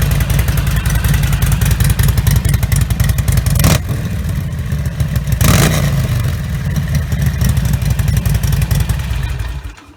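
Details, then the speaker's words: Harley Sportster-family V-twin (Nightster/Iron) with Vance & Hines Blackout 2-into-1 exhaust, after fitting V&H quiet baffle insert; loping idle and quick blips, still loud, peak 83 dB; baffle changes only about 1–3 dB; healthy. "So it did hit 83 there, but I did go a little higher on that second rev. So I would have to say that if it makes a difference, which is a very minimal one, we're probably talking in the 1 to 3 decibel range overall."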